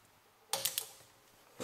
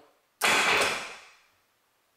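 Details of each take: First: 1988 Yamaha Wavejammer starter solenoid, removed and powered on bench supply: sharp metallic clicks but contacts never close (no continuity), causing the no-start. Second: 1988 Yamaha Wavejammer with a no-start, weak-battery-like issue, solenoid checked and hooked to a good strong battery: three strong bursts of brisk, even full-speed starter cranking; motor now turns over properly, normal cranking.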